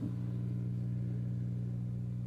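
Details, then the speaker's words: Oneal speaker box powers on but plays no sound; steady low buzzing hum from the speaker, caused by a cracked rectifier diode in the power supply. "Ela liga, mas tá com um barulhinho, entendeu?"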